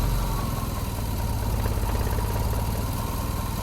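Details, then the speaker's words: 1988 Jeep Comanche Renix 2.5L I4, 4-speed manual, idling in closed loop while ECU data is logged: deep, slow, lumpy throb, low rpm and slightly uneven; O2 feedback swinging rich then lean, unstable idle. "let's see if it starts doing the dumb idle thing it was doing now the oxygen sensor seems like it's working properly sort of oh now it's getting a little funky"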